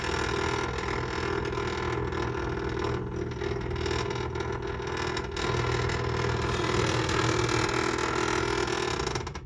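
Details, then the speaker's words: Sony BDP-CX960 400-disc Blu-ray changer, which isn't loading discs: at power-up it makes harsh, uneven grinding and creaking with rapid ratchety clicks, about four a second, from the changer mechanism; something is binding, cause not confirmed. "This disc was inside of it. Smooth Jazz Christmas, but it makes a really bad sound when you turn it on."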